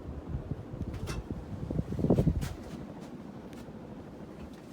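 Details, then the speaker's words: Hunter Mayfair 52-inch four-blade ceiling fan from 1988, barely used, running on high: a soft, steady rush of moving air with no hum, ticking or wobble. The bearings are silent and operation is normal. "bearings make absolutely no noise"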